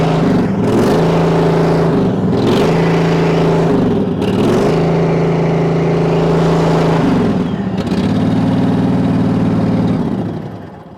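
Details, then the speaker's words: Multiquip 1.5-ton asphalt roller's small lawnmower-like engine running after the failed fuel pump was replaced with a cheap clicky electric pump: catches and runs cleanly, revs rising and falling evenly, then a steady smooth idle; normal running. "She runs, like I said, it's like a little lawnmower. It's nothing special."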